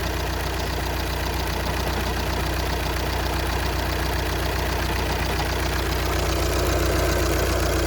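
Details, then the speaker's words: 2014 VW Passat TDI diesel, idling just after the thermostat, heater core and alternator were replaced and while not fully warm: steady low rattle at about 2.5 per second under the clatter; owner attributes it to the flywheel. "Hear that flywheel making some noise?"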